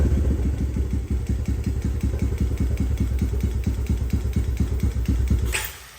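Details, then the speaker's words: Thrashed 2017 Honda TRX250X single-cylinder ATV, started in neutral with choke on and two pumps of gas: catches and chugs unevenly at a few pops per second, then dies within six seconds; carb vacuum leak, won't idle. "all right so although it does start it does not stay running that's with the carb choke fully engaged and with the choke off I have to continue to give it gas"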